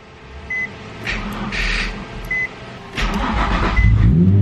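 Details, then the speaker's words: Car not started in a while and dead until jumper cables were connected; it cranks with short chirps, then catches and revs to a strong steady roar, starting fine on the jump. "Man, I haven't started this car up in a while. Let's see if it starts up."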